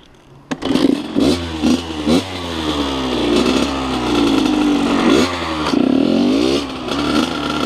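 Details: 2003 Kawasaki KX100 junior motocross two-stroke ridden under load: crisp ringing exhaust rising and falling with each throttle twist, clean pickup, no clatter; fast, super punchy power band, healthy.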